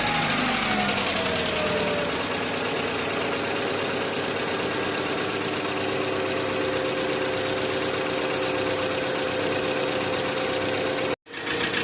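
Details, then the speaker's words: Petrol engine idling after an engine flush and oil change, first start: fast, sharp top-end ticking about four taps a second, hydraulic lifter tapping unchanged by the flush. "короче народ промывка двигателя нужного результата вернее ненужного ожидаемого результата не принесла как он тарабанил так он и тарабанит"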